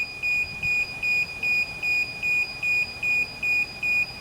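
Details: DJI Phantom 4 remote controller during DJI GO app setup and login: annoying high, even beeps about 2.5 per second on a quiet background, warning that the controller sticks need calibrating.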